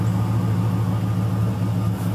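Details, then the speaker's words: 1999 Dodge Ram quad cab, cold start after fuel treatment before winter storage, reconnected battery, half tank of gas: deep smooth steady rumble, no knocks or misses, a little steam from exhaust; normal idle. "stuff sounds pretty good [Music] oh yeah a little bit of steam coming out of the exhaust [Music] yeah yeah it's chooching a little bit"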